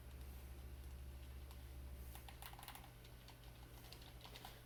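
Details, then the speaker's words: Xbox One Halo 5 controller, after a d-pad repair that bent a metal piece: crisp, distinct d-pad clicks over quiet room hum; the click that was missing before is back. "as you can hear we now have the click which we did not have before thanks everybody"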